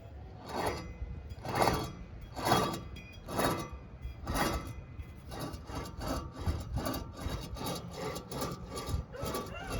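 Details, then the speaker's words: 1999½ Ford F250 Super Duty 4x4 front hub, caliper and rotor removed, hub spun by hand: rough grinding rasp surging about once a second and fading as it slows; bad wheel bearing, hub and spindle to be replaced. "that my friends is a bad bearing there's a god-awful grinding sound"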